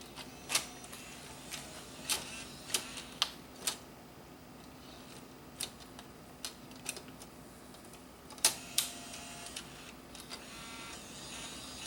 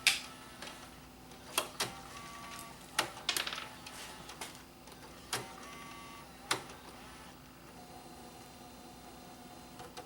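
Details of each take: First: Bose music system CD changer that was dropped, tested after blowing dust off the optical pickup: irregular sharp ticks and clicks with no steady spin; disc won't turn, owner suspects a bent top plate is jamming it. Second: Bose music system CD changer after repair from being dropped, reassembled: quiet motor whir with sharp irregular clicks and clacks as it initializes and reads disc two; normal operation.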